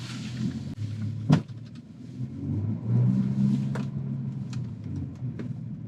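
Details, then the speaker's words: Audi Q7 3.0 TDI at full-lock turn: low engine rumble with irregular thumps and clicks, driveline knocking and binding, tires skipping, whole car shaking, sometimes stopping; transfer case fluid burnt with metal shavings, worn transfer case being replaced. "You can if you can hear that, you can hear it knocking in the driveline. The whole car shakes. There it goes. So it's binding up, releasing, binding up, and releasing."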